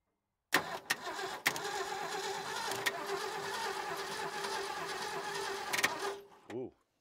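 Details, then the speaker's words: 1968 Ford F350 with a 360 V8, not started since about 2007–2008. The starter cranks steadily for about five seconds with no firing. It does not appear to have spark; the points don't seem to be opening. "working does not appear to have spark points don't even seem to be opening"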